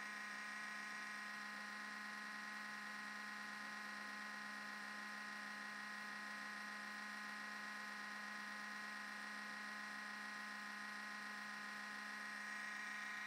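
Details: MacBook Pro making a quiet, steady high-pitched buzz and whir with a fixed tone at startup; sometimes hangs at login or blue screen, Apple store found nothing wrong; abnormal electrical or fan noise, cause unknown.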